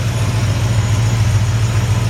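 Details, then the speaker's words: 1953 Ford F100 short bed with 302 V8 from a donor Mustang, possibly a mild cam, turndown exhaust, newer aluminum radiator: deep even burble at steady idle, no exhaust leaks or ticks, healthy normal idle. "you can hear the engine no exhaust leaks no ticks super super nice sounding"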